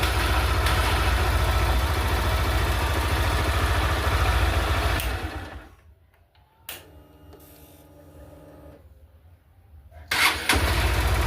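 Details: Honda Titan 160 after a temporary jumper wire repaired a broken positive wire in the starter harness from handlebar to headlight: the single-cylinder starts on the key, idles evenly, stops, restarts at once and settles; starting fixed.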